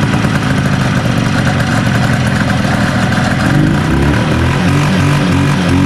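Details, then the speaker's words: 1970 Herter's Husky 440cc Sachs twin two-stroke snowmobile, weak intermittent spark on one side: uneven stumbling burble that bogs and climbs slowly when revved, one cylinder cutting in and out, "one and a half cylinders"; points suspected. "well i'd say herders running on a one and a half cylinders like this is a 440 this thing has no balls"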